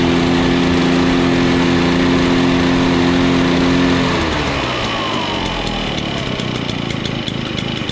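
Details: Echo PB-413H backpack leaf blower after a tune-up kit and new air filter: steady two-stroke drone from high throttle settling smoothly to a lower idle pitch, with no misses or surging. It runs like new with no adjustment needed.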